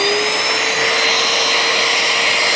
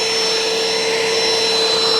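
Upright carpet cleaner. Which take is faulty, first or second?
second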